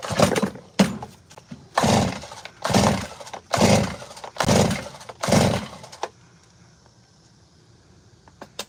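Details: Gas chainsaw, run earlier: six rhythmic pull-cord rasps about a second apart, each with brief sputter but no catch; saw won't start, owner suspects flooding, spark plug fine.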